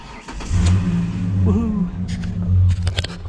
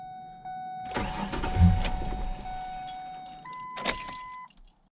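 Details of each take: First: Ford Ranger V6 after no-start fix, no leaks: brief crank catches quickly into a smooth low rumble with a light blip; starts and runs cleanly. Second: 2004 Ford Ranger XLT 4.0, 275,000 miles, no start that morning: warning chime, then about 2.5 seconds of even cranking that never fires. Owner wonders if it's out of fuel; the finding is a crank-no-start from a failed fuel pump.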